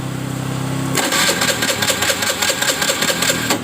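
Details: Honda Vario 110 FI that stalls after 1–2 km: starter cranks but engine won't fire; injector sprays intermittently, fuel pressure present though slow, cause found to be a nearly broken pulser (pickup) cable.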